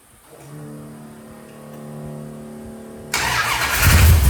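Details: 1971 Plymouth Road Runner 440 V8 after ignition work and timing chain/front cover job, on jack stands, first start: about three seconds steady cranking whine, then catches into strong even rumble, no knocks.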